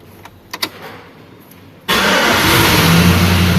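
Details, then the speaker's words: 2005 GMC Sierra with a no-crank fault, computer replaced earlier, now starting after the fuse box connector pins were replaced: light clicks, then it catches at once and settles into a steady idle; normal start. The security light stays on. "गाड़ी अभी start है सही है गाड़ी में कोई दिक्कत नहीं"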